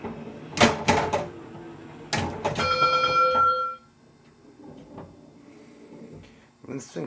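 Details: Newly acquired Bally Cybernaut pinball with jumpered sound board, possibly non-original: odd electronic tones and sharp clicks, missing expected background drone; owner suspects wrong or early ROM for another game; abnormal game sounds.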